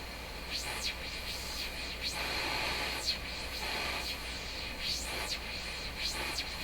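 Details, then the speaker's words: Hammarlund SP-600 receiver after cleaning dirty tuning contacts with alcohol-soaked paper: soft even hiss with faint whistles while tuning near 5.0 MHz, no crackle or scratchy bursts; noisy tuning fixed, reception quiet. "She's quiet."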